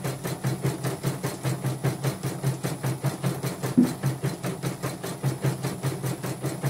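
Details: Portable embroidery machine shipped from Sekayu, South Sumatra with complaints of no embroidering, blank screen, hoop not positioning and dead touchscreen; test stitch after mainboard, LCD and touchscreen work: steady rhythmic stitching about 2.5 per second with smooth motor hum; normal embroidery stitching.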